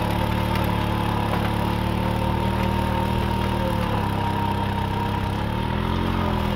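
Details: 1940s Simar two-wheel tractor, single-cylinder petrol engine, chugging at a steady, even beat with no knocks or misses under light tilling load. Starts easily and runs smoothly after revival; normal running.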